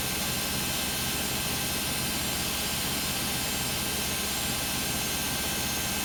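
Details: Beko WM5100W 5kg washing machine, found on the street and plumbed in, test-running a rinse with rags: during a roughly 10-minute spin a constant loud roaring whoosh with a harsh hiss never lets up. Far noisier than normal; cause unknown.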